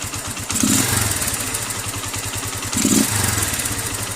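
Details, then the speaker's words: Keeway CR152 with a newly installed Nibbi 28mm carburetor on the stock airbox, needle clip in position 5, idling: an even single-cylinder idle with two quick throttle blips, each dropping straight back to a steady idle, so the carburetor is tuned correctly. "So maganda yung minor niya, diretso baba, balik agad sa tamang minor."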